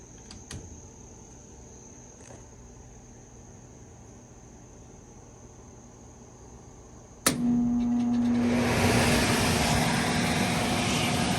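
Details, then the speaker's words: 1986 Whirlpool central air conditioner, condenser unpowered, heard through the door: quiet hum, then one sharp clack as the contactor pulls in on cool mode and the blower rushes air; contactor engages normally. "but i do have the contactor wired in so you'll hear that pull in when i switch to cool mode here we go you'll hear that through the door"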